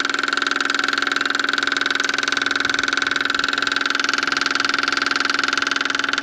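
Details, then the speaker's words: Caterpillar 299 compact track loader (diesel) after fuel pump replacement, engine off: fast, even clicking about three or four per second with a steady buzz as the new pump fills the filter, pressurizes and shuts off; normal priming. "That's beautiful. Did exactly what it's supposed to. Pressurize the system and shut off."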